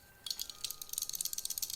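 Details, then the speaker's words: Workpro folding utility knife, carried for a few weeks: quick, dry clicking rattle of about a dozen light taps a second when shaken, from loose play in the knife's parts. "you can just hear the rattles just a rattly piece of crap"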